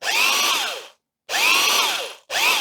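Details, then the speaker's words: Old dirty double-insulated corded electric drill from a shed clean-out: three short bursts whose whine climbs and sags, like a tight motor straining on its bearings; it runs but stiff and labouring, judged unlikely to last and scrapped. "let's see what it does it runs but it's very"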